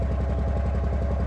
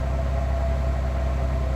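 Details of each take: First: 2005 Ford Freestyle 3.0 Duratec heard at the tailpipe: rough idle with a regular puff-puff, one cylinder dropping. Misfire traced to a spark plug; previously fitted SKP iridium plugs replaced with Motorcraft SP433X. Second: 2005 Ford Freestyle 3.0 Duratec heard at the tailpipe after replacing a misfiring aftermarket spark plug with a Motorcraft SP433X: steady even idle rumble with no puffs or skips, the earlier miss gone.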